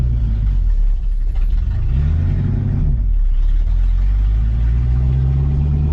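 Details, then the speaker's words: 1966 Ford Mustang test drive after clutch replacement with exhaust not yet back to proper: deep loud rumbling exhaust swelling as revs climb; loud open exhaust without mufflers, not how it should sound. "it does not feel right driving it with this car sounding the way that it currently sounds that's not what this car should sound like"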